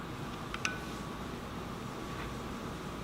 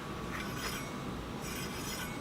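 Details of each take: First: Heybike Ranger e-bike front wheel spinning freely with a quiet, even whir after truing the disc brake caliper to the rotor; the brake rub is gone. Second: Heybike Ranger e-bike front disc brake: light hissing scrape swelling and fading as the wheel turns, caliper set too close so the pad rubs the rotor; fixed by truing the caliper and backing the adjuster off about 1/8 turn.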